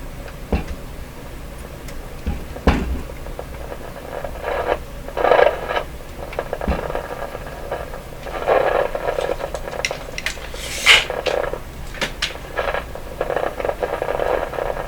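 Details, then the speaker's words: Westinghouse 981X shortwave receiver: irregular crackles and scratchy static bursts over a steady hiss when tubes are wiggled; possibly poor tube contact, cause not confirmed. "So the one I started wiggling and all that static started."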